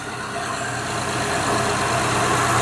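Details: 2005 Honda Pilot idling after alternator replacement and a 70.5 in belt bypassing the noisy AC compressor hub bearing: smooth, even idle with no whine or squeal; alternator noise gone, accessory drive quiet and healthy.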